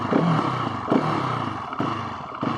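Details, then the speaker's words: Husqvarna 701 SM before fitting Rottweiler fuel dongle, on test ride: single throttle blips lag before pickup, then sag as if about to stall, worst at low speed and low rpm; owner hopes dongle fixes it. "lags a bit on the power. And you can especially tell at like lower speeds. It feels like there should be more power, but it just doesn't come on like it should."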